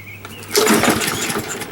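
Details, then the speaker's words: Used push lawnmower with no primer and air filter missing, first start attempt: pull-cord rattle and brief spin that never catches; good compression but it won't start. "right this is our first attempt even trying to start it sounds like it's got good compression sounds like it's got a really good compression"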